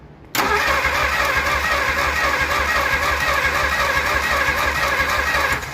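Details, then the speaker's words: Replacement engine for 1947 Plymouth Special, sat since 1975, gas poured in: steady even starter churn with rhythmic low pulse, no compression bumps, never catches; both valves suspected of staying open, timing also suspected high. "that's good what is it both valves are staying open at the same time"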